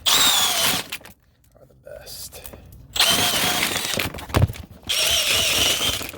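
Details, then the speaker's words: Sewer main backed up again three weeks after snaking, with massive root intrusion in multiple areas: bursts of high whirring motor whine with short pauses as descaling chains chew through roots; all 50 ft of roots cleared and water flowing. "got the water flowing I got it good that time bro I got all the roots out all 50 ft and that's really the only way you're going to get the roots out is with the chains"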